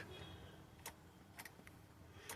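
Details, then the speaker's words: 2002 Cadillac Escalade EXT, key turned: only faint sharp clicks, no crank, despite a new starter; owner suspects neutral safety switch, not yet confirmed: single click, no crank. "that's all I'm hearing nothing else is [Applause] happening"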